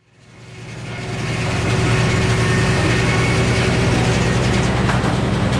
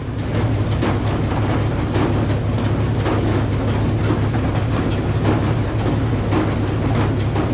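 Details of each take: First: Old Frick sawmill cutting poplar into decking boards: blade winds up to a steady loaded drone with an even low hum, no knocks or squeals; cutting normally before a later breakdown. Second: Old Frick sawmill running with a 605 cubic inch engine and the big blade turning: a loud repeating metallic rasp over the engine drone. It came from a worn, seized carriage pulley bushing on a 7/8 inch bolt grinding metal on metal.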